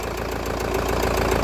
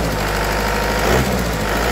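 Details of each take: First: Kia Carnival 16-valve engine with worn, scored cylinder liners, just after repair: quick, even light ticking at cold idle, keeping time with the engine; all 16 hydraulic lash adjusters are weak, smoothing out once warm. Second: Kia Carnival after repair, warm engine with scratched cylinder liner and weak hydraulic lash adjusters that tick when cold; once hot, steady even idle with smooth low hum, no misses or knocks, engine running smoothly.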